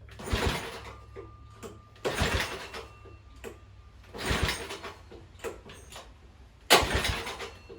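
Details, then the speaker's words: Tecumseh H35 engine on a Sears mini bike after resetting ignition timing, choke on, fuel confirmed; four pull-cord rasps about two seconds apart with no firing; old spark plug not firing consistently, a new plug improved it. "Checking the spark again, and that old plug just doesn't seem to be firing consistently. Put a new, different plug in there, and it's better."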